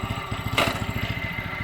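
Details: Briggs & Stratton factory mud motor idling in gear: a small single fires about sixteen pulses a second, swelling and sagging unevenly. It was backfiring before and improves as it runs. Rough idle; owner suspects the carburetor needs cleaning or a rebuild kit.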